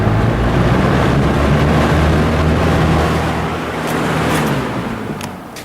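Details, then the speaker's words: Lakewood S223 fan just cleaned and oiled (several drops in front and rear bearing oil ports, blade washed and refitted): steady airy rush over low even motor hum, no scraping, squeak or rattle; earlier noise was water on blades; normal running. "There's some water on the blades. That's what that noise was."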